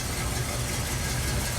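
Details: 1970 Ford Bronco, 5 L V8 with 3-speed manual, running about a minute: deep, smooth burble at idle with no ticks or knocks; runs good.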